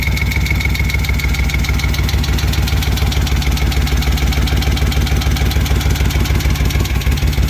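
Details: Rebuilt 1971 Moto Guzzi Ambassador 750 twin, Nikasil-plated cylinders, new rings, warm after oil change, enrichers on: strong, even thumping idle at a steady lumpy beat, no misses or clatter; healthy idle.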